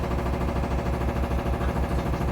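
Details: Samsung Flexwash upper washer on delicates cycle final spin, small load with shorts; machine shaking, fast steady rhythmic thumping under the spin hum, banging every few drum turns, not hitting the dryer, source unclear.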